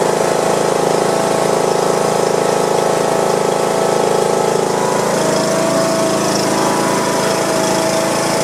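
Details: John Deere lawn tractor Briggs & Stratton engine after replacing a broken push rod and adjusting valve clearance, oil degreased off; steady, even low drone at constant speed, no knocks or misses, idling smoothly.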